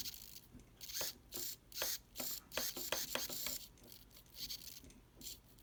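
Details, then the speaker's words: HPI RS4 nitro RC car steering servo: irregular harsh buzzing bursts, two to three a second, even with no input, worst in reverse; failing servo glitching, replaced. "Yeah, it's like glitching. You can hear it in reverse really bad. You hear that? It sounds like it's frying inside. Now, I'm letting the controller down and it's still doing it. So that's why we're replacing it, because it's shot."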